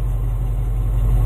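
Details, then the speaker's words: Engine just fitted with a new aftermarket carburetor, starting on choke before first drive: steady smooth low idle about 700 rpm as choke is backed off, no stumbling or popping; running fine. "she sounds good little bit of removing the choke see like look at that Idol 700 RPM she's just happy"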